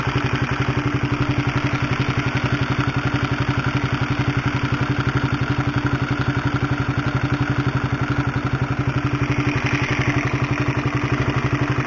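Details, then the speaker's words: Honda CB150R before cam chain replacement, mic close to engine at idle: rapid even clatter like a sewing machine, about four beats a second, helicopter-like; worn, noisy cam chain (timing chain). "Nah itulah suara dari rantai ketengnya atau rantai tensionernya Bagaimana kaya suara helikopter kan kayu mesin jahit tapi kalau digas kayak supertrees-nya H2 ya haha"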